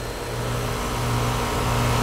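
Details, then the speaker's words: Home AC condenser that earlier ran only its fan, after a rodent nest was cleared and two bad wires reattached: compressor kicks in with a steady, low, even hum, no knocks or rattles. Compressor running normally. "hear the compressor running yeah that's that's what we're talking about"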